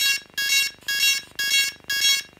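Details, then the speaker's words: DJI Phantom 3 Professional drone beeping nonstop in sharp high-pitched tones about twice a second at power-on. Firmware was corrupted, probably because the drone was switched off before the update finished. "and it literally will not stop you switch it on that's all it does for ages and ages ages"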